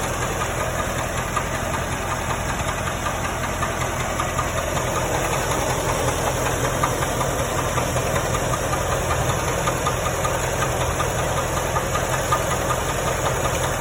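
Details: 1995 Corvette: a steady idle with a light, regular knock about two to three times a second. Engine knocking at idle, source not pinned down.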